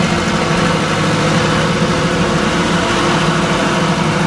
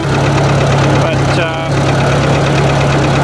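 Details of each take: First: Ford 800 tractor pulling a disc under load: even, steady engine note holding speed with no stumbles or knocks, running well again after earlier rough running; cause of earlier trouble unknown. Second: Ford 800 tractor idling before lifting a heavy disc: a steady, loud idle with a light, quick tapping over the low engine note; the owner worries it may blow the engine, and the cause is not pinned down.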